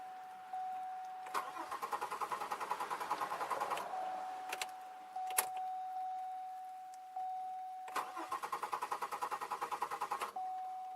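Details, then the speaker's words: 2002 Chevy Malibu with intermittent no-start, restart attempted after about two hours' rest in rain, ignition coil suspected, not anti-theft: two bursts of brisk cranking with only a faint kick and no catch; cranks but won't start. "Nope. It's gonna take a little longer, I think."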